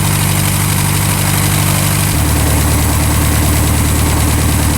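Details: Revmaster air-cooled VW flat-four in a Sonex aircraft, warming up just before shutdown: even, low, steady idle that settles slightly lower partway through, with no knocks or misses; idling healthy.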